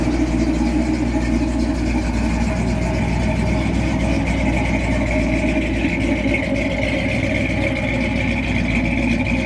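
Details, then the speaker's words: Barn-find 40-year-old Jeep J10 Honcho petrol engine after 20 years sitting, with rebuilt carburetor and tune-up (plugs, wires, coil); accelerator-pump return spring still missing: even, steady idle with no stumble or surge; normal idle. "It runs smooth, idles, it shifts."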